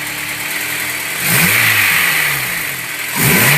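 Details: Engine starting from cold settles into a rough idle, then two quick throttle blips rise and fall with an extra noise; engine noise when cold, cause unclear.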